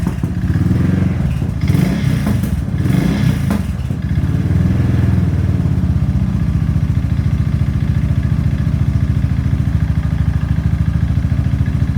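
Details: Suzuki LS650 single-cylinder: hollow rhythmic knock of piston slap after seizure at about 4500 rpm up a 6% grade into 35-40 mph headwind; teardown found severely seized piston, over 0.009 in piston-to-cylinder clearance.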